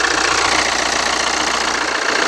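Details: Hyundai Santa Fe after replacing idler pulleys and belt to cure a loud, vibrating noise outside the engine: petrol engine now idles with a steady, even pulse, no squeal, chirp or rattle.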